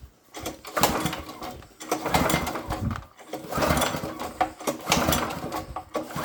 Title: vari robit kultivator nestartuje gartenfräse nicht start wont start